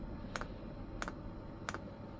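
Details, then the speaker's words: 5 kW diesel heater during first setup: fuel dosing pump clicking sharply about 1.5 times a second while priming, drawing a pulse of fuel through the line each click; normal, line probably just needs bleeding. "every time it clicks a little bit of fuel pulls through which is going through into there so it is it is filling up with fuel"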